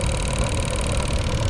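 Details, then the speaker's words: Dodge Journey cabin blower motor, removed and run on the bench, gives a steady hum with a faint, uneven ticking underneath; owner plans to open it, clean the circuits and apply WD-40. "و کمی صدای عجیبی ایجاد می کند. اینجا. ببین بیا روشنش کنیم کمی. زیاد نیست. از آنجایی که می تواند خطرناک باشد زیرا در معرض قرار می گیرد. چگونه می توانید بشنوید که آن صدای تیک تیک دارد خوب."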